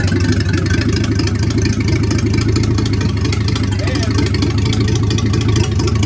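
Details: 1950 Dodge B1 truck, rebuilt 218 cubic inch L-head flathead six, first fire-up after work with temporary oil gauge: low even idle, steady deep rumble, no knocks or misses; running properly.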